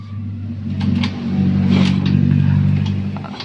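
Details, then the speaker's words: Yamaha Soul GT 125 scooter, injection serviced (injector, fuel pump and filter replaced), earlier a rough tickling engine noise: steady low starter churn, slight resistance on the kick, rises and fades but never fires; loss of compression suspected. "Ada perlawanan sedikit di bagian engkol, tetapi motor nggak mau nyala ya, sedangkan injeksi sudah diperbaharui sebelumnya."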